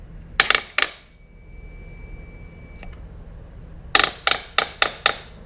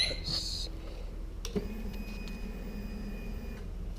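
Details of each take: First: 2009 Harley-Davidson Rocker C (FXCWC), not started over winter, battery 12.9 V on charger, fuel pump heard: sharp single clicks in bursts with no cranking; owner suspects starter solenoid plunger or starter relay. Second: 2009 Harley-Davidson Rocker C (FXCWC) after winter storage, battery 12.9 V on charger; faint steady whir for about two seconds then stops, a normal fuel pump prime, though starter only clicks; starter solenoid or relay suspected.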